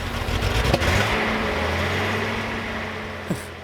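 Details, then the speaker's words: 1978 Datsun 280Z, sat about 20 years, first idle after a battery charge: an uneven, wavering beat, as if pulling air. Rough idle; the owner suspects many vacuum leaks, not confirmed. "I mean maybe it's got kind of a track 3 vibe to it I mean there's got to be a million vacuum leaks but it runs"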